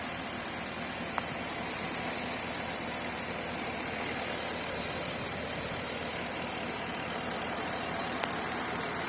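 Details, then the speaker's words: Porsche Cayenne after left fuel pump and water pump replacement and temporary broken breather hose repair: steady even idle hum, no knocks or hunting, much smoother than before and water pump noise gone. "the car is running now much smoother than before water pump is done as well there's no more noise coming from"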